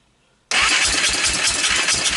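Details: Honda TRX300EX Fourtrax with previous owner engine rebuild, after carb clean/PZ27 swap, CDI swap, intake valve adjustment, started on starting fluid: catches abruptly, uneven lumpy idle; owner suspects carb fuel level or wrong timing.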